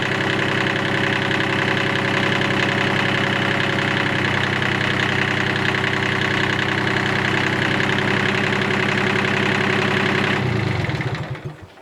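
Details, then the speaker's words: Kubota 4WD mini diesel tractor that hydro-locked from rainwater entering via the uncovered exhaust, now running after clearing water from cylinders: even idle with the usual diesel clatter, no knocking, then clean shutdown; no radiator bubbles, head gasket seems fine; normal. "well there doesn't seem to be too much wrong with the engine and the Hydraulics work well um I can't hear any horrible noises"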